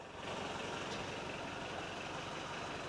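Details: Toyota 22RE four-cylinder, freshly rebuilt engine in truck, about 25 miles on it, no leaks: steady even idle, smooth hum, no knocks, ticks or misses; running cleanly.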